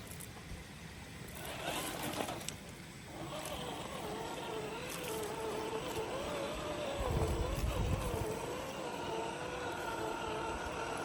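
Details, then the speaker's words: FMS FCX10 1/10 K5 Blazer RC crawler on the trail: soft motor whine rising and falling with throttle over running water, no grinding or clicking; drivetrain runs smooth and very quiet. "so I wanted to let this thing run for a minute without me blabbing in your ear just so you could hear the truck itself it is really quiet on the trail"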